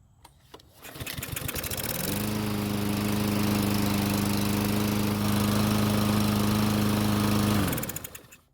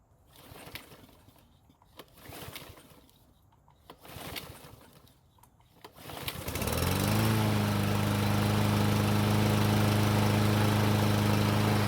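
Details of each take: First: Murray lawn mower, used last year, won't start even with fresh gasoline; run without air filter, catches after a few pulls, steady buzzing run about five seconds then quits; fuel starvation from clogged carburetor jet, old stale tank fuel suspected. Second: Murray self-propelled lawn mower that would not start even with fresh gasoline, run again on its old fuel: several cord pulls, then it catches and holds a smooth, steady hum; normal running.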